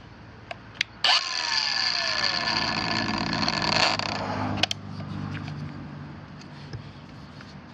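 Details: Kobalt 5-in cordless angle grinder KAG 424B-03 on new Ultimate Output battery KXB 424-03: spins up to high whine, runs about three seconds, then drops out and winds down with trigger held; battery incompatible per Kobalt support.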